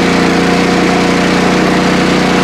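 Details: PowerSmart MB5040 4400-watt generator under heavy stress-test load near overload; steady hard-working drone with fixed pulsing beat and faint whine; engine labouring under heavy load.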